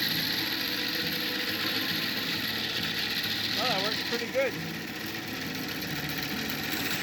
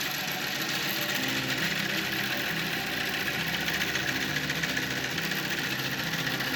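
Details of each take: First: Antique wooden bandsaw bought at auction, on its first run after being plugged in. A loud, steady hum and rattle at even speed with no catching or knocking; noisy but works fine. Normal running. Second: Wooden antique bandsaw, untested auction find, first run after plugging in: loud, rough rattling roar with an uneven knock about three or four times a second; cause unclear.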